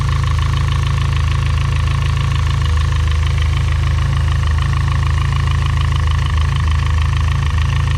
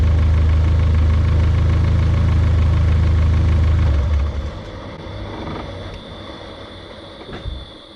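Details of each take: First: Built turbo engine at hot idle: steady light ticking about four per second over a smooth low hum, from the cylinder head/cam area; valvetrain noise, cause unconfirmed. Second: Built engine just switched from 20W-50 to 5W-20 oil idles evenly, then shuts off and the turbo whistle winds down smoothly over a few seconds to a gradual stop instead of the previous abrupt stop; normal spool-down.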